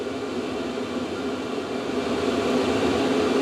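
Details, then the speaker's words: VEVOR diesel heater running a few minutes at full output, outlet about 70 degrees, exhaust about 150: loud, even roar with a steady mid-pitched hum, no knocks or surges; normal but very noisy, not yet in an enclosure. "Right, so this has been running for a few minutes now. It's very noisy. I'm going to have to put this in the enclosure."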